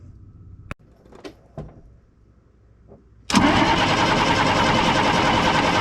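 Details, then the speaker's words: 1995 International 4700 dump truck, DT466 diesel starved of fuel during tank leak repair, filters pre-filled: after a few clicks the starter spins it at a steady three-odd beats a second but it never catches; crank no start, fuel system not primed. "So let's crank it a little while and see what that does. No idea if that'll pick up its own fuel and build up pressure or what. I have no idea."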